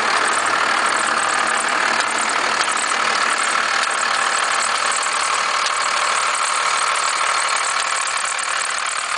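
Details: 1991.5 first-gen Cummins 12-valve diesel, cold start around -10: busy metallic knock/rattle about three times a second, slight squeal; owner cannot pinpoint the source.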